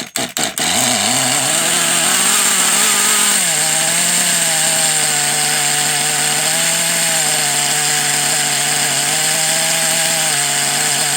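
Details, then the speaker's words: Kyosho DBX 2.0 GXR .18 nitro engine, an eBay find, running with a high rough buzz and gritty rasp; nitro leaking around the flywheel; it sounds terrible, with a bad bearing. "yeah so there's 100% bad bear in there somewhere I mean you can hear it it sounds terrible"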